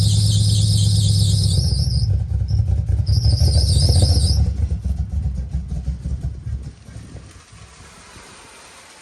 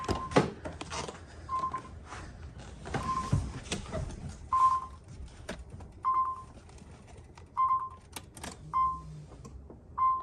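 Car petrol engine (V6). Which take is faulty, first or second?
first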